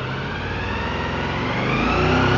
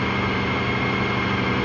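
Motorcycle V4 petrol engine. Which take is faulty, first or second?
first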